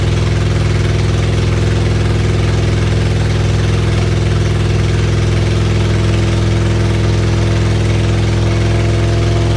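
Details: Freshly rebuilt supercharged Acura Integra engine, first start after reinstall, exhaust not finished: loud raw but very even idle pulse, no knocking or ticking; healthy.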